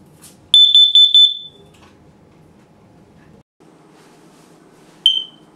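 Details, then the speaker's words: Smoke detector: after the loud test pulses, a lone short high chirp is heard, the low-battery warning meaning the 9-volt square battery should be replaced. "That's your smoke detector telling you to change the battery. It's important. When it starts to chirp and it annoys you, it's supposed to."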